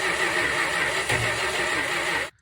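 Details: 1963 Dodge Dart convertible with swapped 360 V8, after 21 years off the road, with new ballast resistor, electric choke and mechanical fuel pump: cranks, catches roughly for about two seconds, then cuts out; cause unconfirmed.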